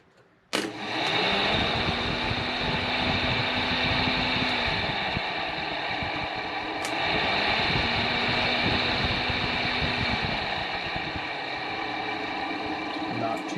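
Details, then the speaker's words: Volvo 740 with a Volvo 940 electric radiator fan fitted in the 740 shroud, test run off the battery on high speed (speed two): steady whoosh with a faint slow squeak, no blade contact. Runs fine. "shabby a little squeaky but uh didn't sound like it contacted anything so i would call that good"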